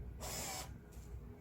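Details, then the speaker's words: Excavator stop motor after repair, test-fitted: brief half-second buzzing whir that stops cleanly as the cable is pulled; the usual fault is gear contacts drifting apart, fixed by bending them for firmer contact. "일단 요거를 끼우면 소리가 나야겠죠. 지금 소리 났죠. 이제 이러면 케이블이 당겨진 거고,"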